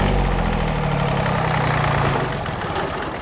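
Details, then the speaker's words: John Deere 855 compact diesel tractor: with the key off it keeps idling because the fuel shutoff solenoid bellow doesn't pull in, owner suspects weak or faulty electrical current. Steady low idle chugs, then dies smoothly when shut off by hand. "if I try to shut it off it's still running even though I've got the key turned off"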